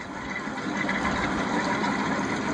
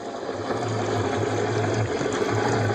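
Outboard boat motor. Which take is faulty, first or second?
second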